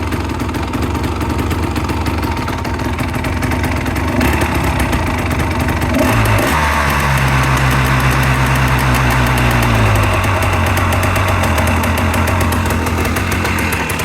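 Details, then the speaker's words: Restored 1985 Honda ATC250R two-stroke during idle and mixture tuning, still going through heat cycles. It idles with an even crackle, takes a short clean blip, and settles smoothly after the idle is turned down; it runs good. "there we go yeah runs good sounds good it's a nasty boy still going through the heat Cycles on it"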